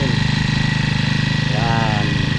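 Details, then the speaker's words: New Honda GX35 clone grass cutter, small single-cylinder four-stroke on gasoline, first run at start of break-in; quick, even putter at idle with steady beat, smooth and healthy, nothing rough or missing. "Yay! Ang ganda ng tunog."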